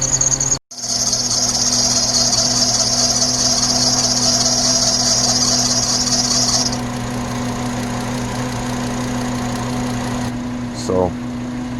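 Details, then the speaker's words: 2008 Volkswagen Jetta idling after a cylinder 2 misfire fix: engine smooth but a high, thin chirp/squeal from the serpentine belt; belt slipping, needs replacing, temporarily sprayed with Teflon dry lubricant. "it sounds great this little a bird chirping in the belt so you know squeaky belt i probably need some new belt"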